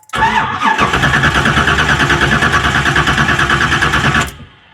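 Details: 1970s Chevrolet Camaro, upgraded engine with aftermarket Fitech throttle-body fuel injection, sat nearly two years: starter cranks steadily about 140 turns a minute for four seconds, never fires; crank no-start after main ECU power feed was connected to ground.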